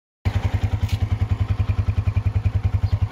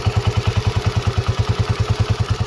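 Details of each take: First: Honda CG125 single-cylinder after restoration and parts upgrades, idling: quick, even thumps with no top-end ticking; earlier tappet noise gone, engine quiet and healthy. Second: Honda CG125 single-cylinder idling: quick, even tappet ticking about eight per second over the low idle thump; loose valve clearance on the rockers; head rocker and CDI unit to be replaced.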